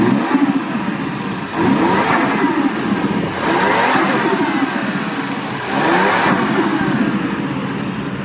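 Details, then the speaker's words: Stock 1JZ Toyota Crown JZS171 with the stock airbox lid off: repeated revs, each ending in a fluttering turbo chatter dropping in pitch as the throttle shuts; compressor surge induced by unplugging the blue sensor plug. "Yeah, so you can hear a slight one, like a slight whoo-hoo-hoo, but it's not as loud."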